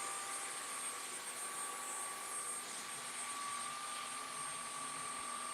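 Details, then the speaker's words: DWC2440 CNC carver's brushless water-cooled spindle spinning: an even high whine like a little jet engine holds one pitch over a soft hiss, with no roughness or wavering. Normal running. "But yes, the water-cooled spindle, because it is brushless and it's a little bit more industrial built, it sounds like a little jet engine when it's taken off, but it's just got that nice hum to it."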